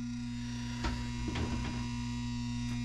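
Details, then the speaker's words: Furnace blower motor powered but not turning, access panel removed: steady electrical hum with no airflow at the vents; diagnosed as a failed run capacitor, which is then replaced. "you can really here that uh that this is humming so a quick tell to find out if the motor is seized or if the capacitor is bad"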